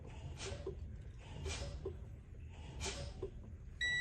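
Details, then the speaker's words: Truck air brakes, engine off, brakes pumped to drop pressure: repeated air hisses, then a steady high buzz as the low air pressure warning activates around 60–65 psi; warning device working. "okay yeah so it's working so the lower warning device even the buzzer sound is working in this truck right so it's working at around 60 65 psi which is good right"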